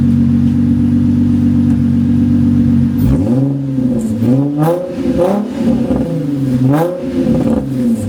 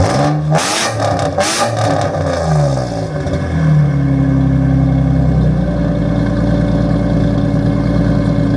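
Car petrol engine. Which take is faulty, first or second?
first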